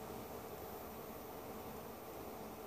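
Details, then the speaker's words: ViewSonic Pro8200 projector, ceiling mounted, after 7 minutes: soft steady cooling-fan whir continues while the bulb has shut off and no image or menu shows; suspected short in ceiling position, not a bulb issue. "you can hear that it's still running and it's still turned on it's just the bulb that has quit projecting an image but you can hear the fan"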